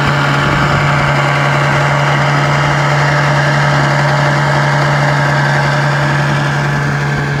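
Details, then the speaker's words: Restored 1956 Johnson 7.5 hp outboard on a 14 ft jon boat at about 10 mph on a lake test run: steady drone with a loose buzzing hood rattle on top, caused by missing rubber grommets; motor otherwise runs great. "what the heck is that hood riddle all about i mean she runs great let's see what's going up on underneath here oh yeah i see what it is we're missing some rubber grommets that fit into right here"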